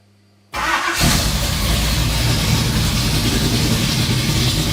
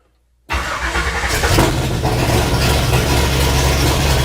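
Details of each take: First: Vintage Ford highboy truck after new main and rod bearings, with headers and new chambered muffler, idling in shop: deep, loud, throaty rumble, louder than old packed Flowmaster; owner suspects cam profile and/or headers. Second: Ford highboy truck 428 V8 first start after new main and rod bearings, no muffler fitted: catches instantly, loud steady even idle with no knocks or misses, oil pressure up to about 80; healthy start.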